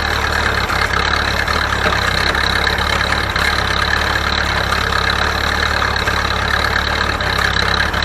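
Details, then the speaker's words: Ferguson TO-30 tractor, bought from a scrap yard, running a hay baler; steady rumble with slight periodic dips as the plunger packs each charge, normal loaded running and not a fault. "you can hear the motor like that's normal that's plunger every time that it packs the hay that's what's do it it'll do a diesel the same way man that's perfectly normal"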